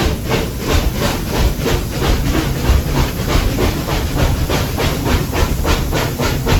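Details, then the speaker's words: SoundTraxx-equipped model steam locomotive at speed step 15: crisp, even chuffs at about three per second, four evenly spaced beats per wheel revolution. Normal, healthy steam exhaust. "So you can start to hear that 4-chuff pattern. Chuff, chuff, chuff, chuff. It's a very distinct pattern, and it is something that is very evident on steam locomotives, as evidenced by some of these videos here."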